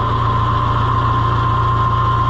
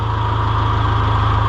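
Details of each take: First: John Deere 2020 HU tractor at steady diesel idle, faint irregular knock and no normal pump clickety-clack as hydraulics nearly quit; owner suspects a half-sheared hydraulic pump drive (moon) key clicking. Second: John Deere 2020 HU tractor at steady, even low diesel idle with hydraulic pump running smoothly, no knocks or surging; healthy just after start, before the hydraulics slow down the longer it runs.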